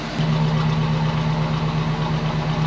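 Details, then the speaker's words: High-mileage 305 V8 after most of a tune-up: smooth, even idle with a steady low hum and no misses or ticks, firing on all cylinders and described as sounding like a kitten; normal idle. "oh yeah you can tell listen to her she sounds like a kitten"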